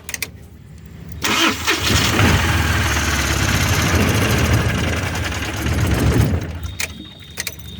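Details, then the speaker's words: Mahindra Supro diesel that would not start with no trouble codes, after fixing the faulty rail pressure sensor: cranks briefly, fires cleanly and idles with an even clatter, no stumble or misfire; starts and runs normally. "देखिए यह गाड़ी जो है start हो गया इसमें जो rail स खराब था ठीक है"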